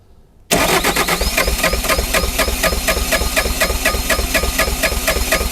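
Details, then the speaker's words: Bobcat T595 diesel skid steer, neglected and frozen, dead battery, remote start box, glow plugs used, primer bulb tight showing fuel. Cranking faster now, steady chuff about four per second with near-catches that never pick up: cold crank, no start. "She's trying to start. Oh, it's so close."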